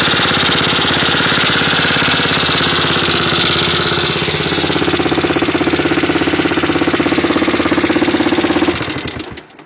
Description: my 1985 yamaha 225DX making a clicking noise while running after engine rebuild